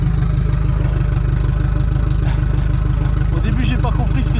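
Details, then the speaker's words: 1986 Renault Espace carbureted engine on ethanol preparation, warming up: even steady low idle rumble with regular firing and no misses, now nearly perfect after reconnecting two forgotten brake-booster hoses that had caused a big air leak and lean running. "ok c'est bon ça tourne beaucoup mieux maintenant un peu l'entendre ralenti il est quasi parfait en fait"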